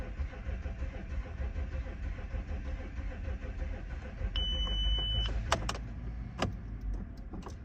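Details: 2007 Audi A6 C6 3.0 TDI allroad quattro tiptronic, cold start: slow rhythmic cranking about three beats a second with a chime, long crank before firing; hard start linked to compression problem on cylinders 5 and 6.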